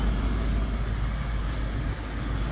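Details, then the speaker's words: 2008 Acura MDX V6 running after a new alternator was installed; a low, even rumble that holds steady with no dips, squeal or flutter; sounds good, normal engine running. "Okay, sounds good, looks good."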